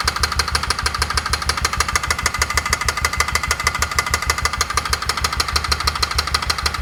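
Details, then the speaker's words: 2004 Polaris Ranger 6x6 UTV after top-end work: crisp, regular tapping about twice a second at idle, loud in the top end. The owner suspects the exhaust valves contacting the piston, possibly because the piston was installed backwards. "Did y'all hear that tapping? It's not a good sound, but it did sound like it was in the top end."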